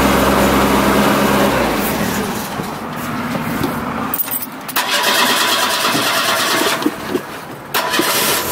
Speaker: cold start kind of not as cold as my usual cold starts we going to have to like gas it no I could have let off of that and it would have done it sooner